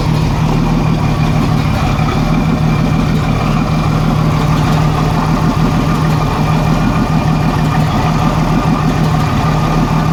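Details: 1987 Jeep Cherokee Renix 4.0 petrol six at idle: low, uneven chuff, one cylinder missing; later traced to cylinder 6 exhaust rocker moving less, sticking valve or bad lifter; loosening rocker bolt made it run smooth with slight tick.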